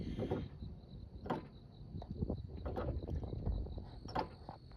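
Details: 2008 Ford Escape 3.0 V6, complaint of choppy, clunky steering when turning; irregular dull clunks as the wheel turns, from a worn lower steering shaft U-joint to the rack and pinion, replaced with a new lower shaft assembly.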